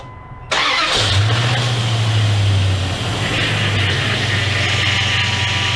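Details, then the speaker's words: 2001 Dodge Dakota 4x4, 4.7L, just after power steering pump replacement and refill. Engine catches and idles with a faint steady whine above it. Power steering pump whine from air in the system; it needs bleeding lock to lock. "well they did suck uh quite a bit of fluid down it's still some in there but you heard it whining right away and that's all"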